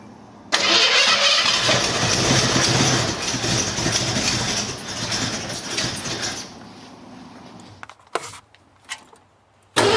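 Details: 1968 Mercury Cougar, rebuilt original 289-2V V8, first start after rebuild on a cold day for cam break-in: a loud crank catches straight away and settles to a steady, even idle. It runs cleanly.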